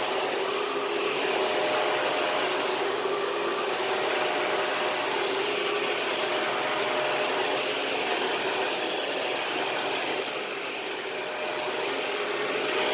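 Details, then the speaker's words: Vacuum rush with a rough rattling tick about four per second from the brush roll of a 2013 Dyson DC41 Animal Complete; the brush roll noise keeps recurring, so it must be taken apart and the brush roll cleaned again. "so the brushful noise that i commented on is still happening so now we gotta pull this thing apart again and clean out the brush roll again"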